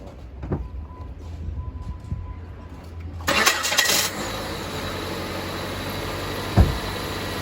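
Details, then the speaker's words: 2007 Jeep Compass 2.4L after replacing a loud-cranking starter, with the battery and airbox reinstalled. A short quick crank catches cleanly within a second and settles to a steady even idle, so the new starter is healthy. "You hear the car? Started. Everything is right."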